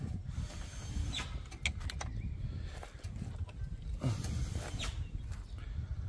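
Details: Old Fossil engine on a Girafa machine, started with jumper leads from a battery that spark: uneven low chugging of the starter turning the engine over, with no catch or sustained firing; cranks but won't start.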